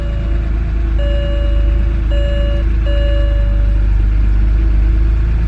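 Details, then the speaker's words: Storm-damaged BMW just started on a new battery with many warning lights on: idle mostly steady but slightly uneven underneath, with a chime over it; rough idle, no clear misfire, owner suspects air-fuel mixture slightly off. "i can hear that she's not running a hundred percent so you know like i could hear minor uh not like a misfire but definitely like air to fuel mixtures a little bit off"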